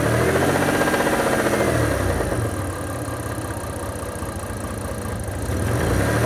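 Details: Mitsubishi Diamante 6G73 GDI V6, warmed up and revved in place: the engine revs then settles, with a steady knock under the note that follows revs. Source uncertain; the owner wonders whether it needs an overhaul.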